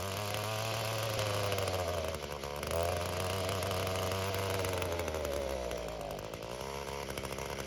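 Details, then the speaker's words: Echo GT-225 two-stroke string trimmer, cold, after a fuel system refurb kit fixed a vacuum leak from a cracked fuel bulb. Revs up, wavers, then sags and stumbles instead of holding high RPM. Carburetor setting suspected. "how to adjust the carburetor on this, because it starts to choke itself out at higher RPMs. So something's not set right."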